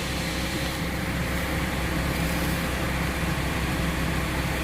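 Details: Diesel with weak battery, jump-started from another battery via jumper cables after failing to start; catches on the jump and settles into steady even clatter with no stumbling: healthy start and run.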